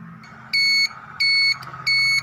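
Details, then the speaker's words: Yamaha Aerox 155 scooter after replacing the flasher relay with a new one having a built-in beeper: three steady high beeps, about one every two-thirds of a second, with the turn signal; normal turn signal reminder beep. "you can see it's working just fine and that will remind me to turn it off hopefully"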